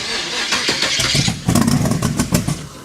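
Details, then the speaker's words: 1923 T-Bucket kit car, carbureted engine with no choke, cold shop at about 70°F: choppy cranking bursts that catch briefly and stumble without settling into idle; hard cold start. "Yeah, with no choke, and it's kind of cold in here. I keep it at 70. Cars with carburetors don't like starting."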